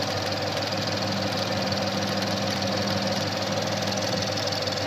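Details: 2013 Ford Mustang 5.0 V8 idling with fast, irregular popcorn-like ticking, roughly four a second, over the steady engine note; source unknown.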